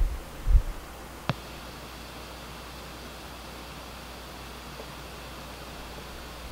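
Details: New Pioneer GM-D9601/GM-D8604 class-D amp wired straight to the battery outside the car, gains down, low-pass crossover at 240, RCAs and bass knob unplugged, mic on the speaker. Soft turn-on pop, then a steady hiss that varies with gain.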